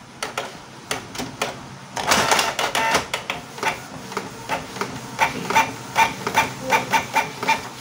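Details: Canon IP2770 inkjet printer after repair of skewed, broken prints: even carriage sweeps with short whirring passes and paper-feed clicks about once a second; printing normally, output straight again.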